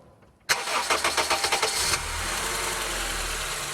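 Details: 2008 Honda New Civic with accessory belt removed: about two seconds of rhythmic cranking, clean catch, then smooth even idle with no squeal or rattle.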